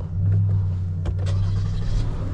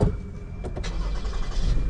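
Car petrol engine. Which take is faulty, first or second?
second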